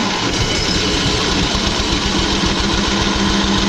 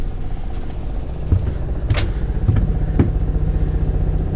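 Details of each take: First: Onan 5000 W gas generator on a 1997 Pace Arrow Vision 36B motorhome, not yet run since purchase: fast even cranking with uneven attempts to catch, fuel smell, turns over but won't fire yet. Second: 1997 Pace Arrow Vision 36B Class A motorhome, onboard generator running normally, heard from inside the coach: muffled steady low engine drone with occasional clatter, audible but acceptable.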